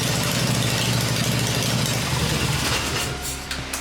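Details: Freshly built Harley Evo V-twin on a test stand, first fire-up with open exhaust: loud open-pipe drumming at steady even beat, no misses or knocks; normal healthy idle.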